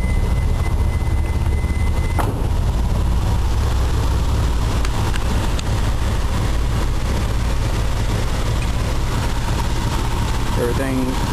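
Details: Mitsubishi 3000GT VR4, 6G72 V6, running on MegaSquirt II Extra, idle air controller not yet connected and still untuned: low even rumble holding a fairly steady idle, no hunting or misses.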